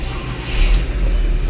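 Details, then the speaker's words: 2011 VW Tiguan 2.0L turbo with code 01259, fuel pump relay open/short to ground: once the fuel pump is powered directly, the engine starts and settles into a deep, even idle rumble; bad fuel pump module suspected. "there we go now the car's running"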